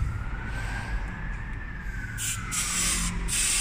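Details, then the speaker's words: Volkswagen Transporter 2.5 L turbo with overheating and neglected, electrolysis-blocked cooling system: air blown through the passage rushes out the side of the thermostat housing on the block in strong bursts with no choking; passage flows freely. "free that's the sound you should hear you guys yeah it's coming out the side of the thermostat housing on the block"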